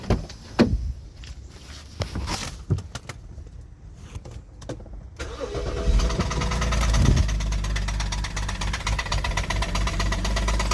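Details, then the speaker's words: Engine with oil leaking, long overdue oil change: after handling clicks it starts and settles into a steady rhythmic knock about three a second, diagnosed as rod knock needing a new engine. "un mistaken that's here is Rod knot that's here is not is what happens when the oil has not been changed in a while yeah going to need new motor for that one"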